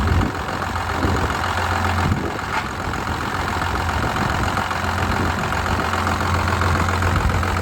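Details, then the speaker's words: Dodge Cummins diesel pickup idling after topping up coolant with distilled water: steady idle with an irregular metallic crashing mixed in; owner doesn't know the cause, thinks it is not inside the motor, also saw transmission-fluid-like fluid from the engine breather. "hear it right there like that right that that's crashing I don't know what that is I don't think it's coming from inside the motor"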